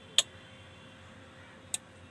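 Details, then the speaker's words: Yamaha RX-V475 receiver, dead, no sound or HDMI: relay clicks on, then off about 1.5 seconds later as 3.3 V rail drops after reaching 3.3 V; power-on shutdown, suspected 3.3 V regulator fault. "It turns on again and then turns off."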